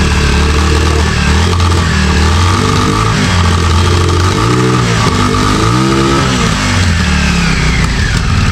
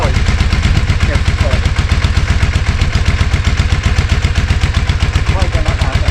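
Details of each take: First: 34-year-old Yamaha Virago 535 that last ran in 2003, after a carb clean, running after a ride around the block: idles very high with an uneven, stumbling misfire. Owner suspects carbs or a dead spark. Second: Yamaha Virago 535, about 34 years old and last run in 2003, idling after throttle cable moved off the high setting; steady even low thumping about four beats a second, no stumbling: normal idle.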